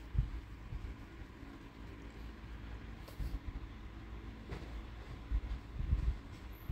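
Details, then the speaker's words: 2008 Chevrolet Vivant CDX after engine and automatic transmission overhaul, road test up to about 80: steady low rumble building smoothly with speed, no knocks, slips or clunks on shifts; engine and gearbox sound healthy. "mình này mình chạy test về phần máy và vườ phần hộp số nha anh em này là số tự động nha"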